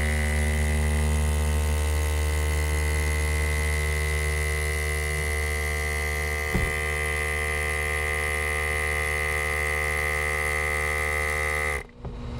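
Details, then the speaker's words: 12 V vacuum pump (Karlsson Robotics D2028) on a 2010 Ford Escape EV conversion, leads touched straight to a 12 V battery, mounted with rubber padding: loud, steady electric buzz with fast even pulsing and strong vibration until power is cut. Normal pump operation. "yeah so it's pretty noisy and it vibrates quite a lot so i put some uh rubber padding inside this mount so that hopefully it's not as loud"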